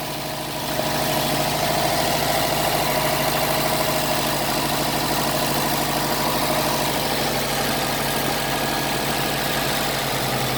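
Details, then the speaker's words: 2009 Subaru WRX hatchback, brand-new EJ255 long block, about 11,000 miles, cold start heard from cabin: faint, fairly regular tapping about three per second under idle note; owner suspects rod knock or rod bearing, unconfirmed. "all right I need you guys help me decipher whether this is a rod knock or rod bearing issue 2009 Subaru WRX brand-new ej2 55 has roughly 11,000 miles on it"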